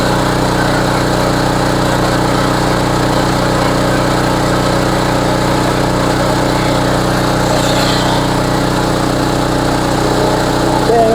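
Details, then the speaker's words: Homelite HGCA3000 3500 W generator after new carburetor and head gasket, warm, full load about 3,400 W; loud, steady, even note holding speed with no surging or misses; normal running under load. "oad does run really smooth though and it is very easy to start"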